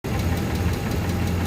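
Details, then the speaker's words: 1998 Mercedes-Benz S500 (W140) M119 V8 at idle, customer complaint: sharp regular tick about six a second over low rumble; mechanic suspects worn camshaft lobes, possibly both banks, not yet confirmed; valvetrain ticking at idle. "Hi guys, today I'm checking one of the classic MercedesBenz. It's uh MB40 S-Class S500 and customer complains that there is a ticking noise. So we can hear this ticking noise and this is a M119 V8 engine."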